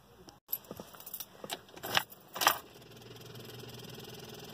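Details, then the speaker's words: Car in cold winter weather: turning the key gives scattered clicks, about two per second, with no cranking; owner suspects starter and battery both out, fears alternator too, after a recent jump start. "I don't know if you hear that clicking but I'm pretty sure that means my starter's out it wasn't making that noise the other day or yesterday but my car hasn't made that noise before so I have no idea what's going on"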